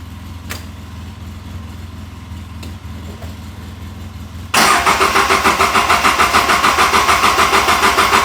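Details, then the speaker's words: Polaris RZR 800 side-by-side that won't start; quiet ticking, then steady rapid starter cranking about three turns a second, never catches; crank no-start, owner suspects fuel pump issue. "And I think that it's a fuel pump issue, but let's see what we can find out."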